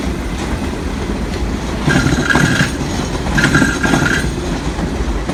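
Over steady rail clatter, a high squeal rises twice for under a second each as the train rolls through; the cause isn't evident.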